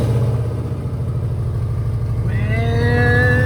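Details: 2009 Subaru Forester X, naturally aspirated EJ253 flat-four, idling just after a valve clearance adjustment done with the engine in the car: smooth even idle, steady low thrum, no ticking or misses. It burns off some smoke from valve cover removal; a normal idle.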